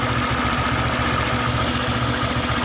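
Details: Honda PCX 150 at idle after tune-up and valve adjustment, air filter not yet fitted, CVT and injection not yet cleaned: steady, even single-cylinder beat with no rattle or misses; valve clearances sound right.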